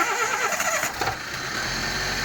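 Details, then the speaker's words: Daihatsu Sirion first start after replacing the water pump that caused overheating; engine catches quickly and settles into a smooth, even idle with no grinding from the pump and no water leaking. "It's idling like a baby. There's no water coming from the there. Sounds good."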